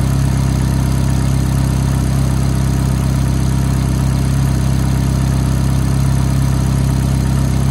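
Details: F430 V8 at cold-start idle: a light, fast tick of about four a second rides on the steady, smooth idle; the source isn't clear.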